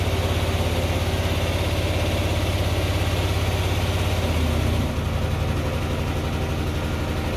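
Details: 2004 Hyosung GT250 Comet after carb cleaning, new fuel filter and battery: steady putter at a slightly raised cold idle that settles lower as the choke comes almost fully off, idling about where it should. Normal choke warm-up.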